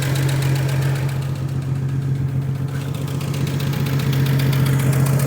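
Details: 1956 Chevrolet with 235 straight-six, parked since 1989, runs with a steady, fairly even low idle hum and no smoke, kept going on fuel poured into the carburetor because the weak fuel pump barely delivers.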